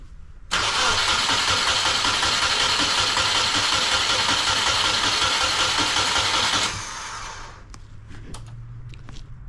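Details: Caged 1995 Subaru Impreza L track car, EJ20 engine, test-fitted wiring harness with fuel leak present: starter spins engine at a steady, even beat about six seconds but it never fires; crank-no-start.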